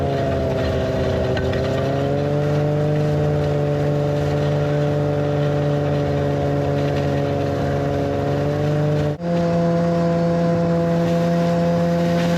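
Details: 1991 Arctic Cat Prowler 440 two-stroke snowmobile after revival: carbs checked, fresh fuel, throttle safety switch bypassed, earlier one-coil miss resolved. Steady, even drone under load that dips briefly, then settles a step higher. Flawless after about an hour's riding.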